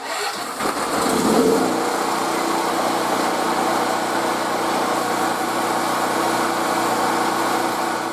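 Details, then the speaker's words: 10-year-old mobile welding generator, left outside uncovered for three years, running after restoration and putting out about 122 volts at the 120 V outlet. Catches quickly and settles into a steady, even hum with no knocks or misses; normal running. "so I'm just super happy that this thing is running and it's running good"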